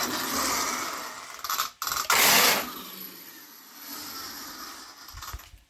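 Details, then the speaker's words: Mojave EXB RC car, throttle turned down: fast ratcheting clatter over the motor whir in bursts as the wheels spin; one wheel grips while the other skips, worn differential, apparently right side. "Yeah, one wheel's gripping, the other wheel's just making a weird sound. Sounds like right side."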